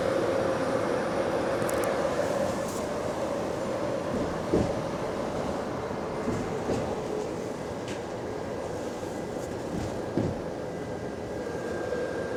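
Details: GAL bus EBD67 on route SL4, after its creaking suspension noise was fixed: steady cabin rumble with a faint whine and the odd light rattle over joints, but no creaking while driving. Normal ride, suspension fine.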